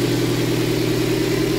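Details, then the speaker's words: Toyota MR2 Spyder with a swapped 1ZZ engine, freshly installed to replace one with rod knock: steady, even idle hum with a constant low drone and no knocking or ticking; healthy engine. "so let me start it up for you guys so you can see how it sounds no more rod knock which is good"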